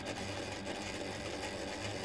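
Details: Reliable SewQuiet 6000SM servo motor on a Juki DDL-8700 industrial sewing machine, no oil in machine, run at slow then faster speeds: even, steady whirring hum with soft mechanical rustle, no knocks or scraping; normal running.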